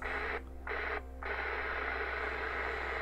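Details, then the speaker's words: Vintage HAM International UK 120-channel AM/FM CB after switch-cleaning the volume control and front switches: steady open-channel speaker hiss with two short quiet dips; receiving properly. "we're receiving good."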